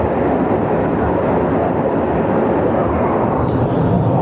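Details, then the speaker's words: Midea 30-ton R-410 package unit with two 15-ton systems, just started after condenser leak brazing, a condenser discharge motor repair and system 2 compressor wiring: steady, even rushing airflow over a low compressor hum, no rattles or scraping. Normal operation. "ये अभी हम स्टार्ट करने लगे हैं इसको, ठीक है। अभी हमारा स्टार्ट हो गया ऐसी, ठीक है। हमारा सिस्टम स्टार्ट हो गया"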